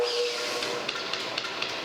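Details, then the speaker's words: Restored metal planer with newly laced flat belts, first free run: light, even click about four times a second over a soft whir as the belt lacing passes the metal pulley; bearings sound fine, normal. "you hear the click click click click click that's the uh the the clipping material that we we laced the belt lacing hitting the pulleys hitting that metal pulley it defects four click sound sounds like music"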